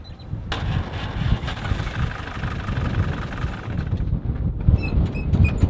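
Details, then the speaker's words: 1948 Willys Jeep after a makeshift spark plug cable repair: uneven, lumpy idle with a wavering low thump and a few clicks; excessive play in the distributor rotor causes rough running. "I don't think so. No, it doesn't sound great. Yeah. There's quite a bit of play in that rotor."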